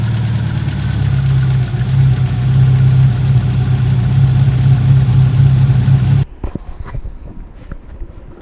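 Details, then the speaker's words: Subaru WRX STI EJ257 engine, rebuilt and reinstalled, first start: a steady low rumble holding an even idle for six seconds, then shut off, with no knocking or misfire. It runs nicely. "Nii, mootor on koos, siis käib, töötab ilusti."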